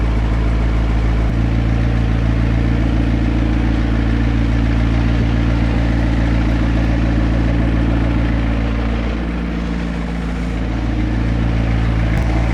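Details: McLaren 650S V8 cold start: a high, even cold idle with a deep exhaust drone and a brief dip, running smoothly. The low oil pressure warning still appears.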